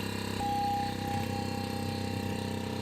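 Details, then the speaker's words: On-board air compressor (100% duty cycle at 100 PSI) for an off-road Ford F-150, bench-tested on a battery drawing about 23 A: steady fast pulsing hum with faint whine, slow and laboured; tank filling slowly. "Pretty consistent, about 23 amps. It's definitely going up. It's not in a huge hurry, but it's going up."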